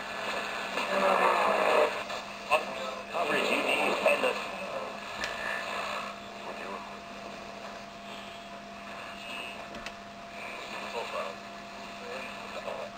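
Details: 1960 General Electric tube clock radio found at a yard sale, tested at night in a remote area with little reception. A weak AM station plays with voices under static and a steady low hum; the radio receives normally.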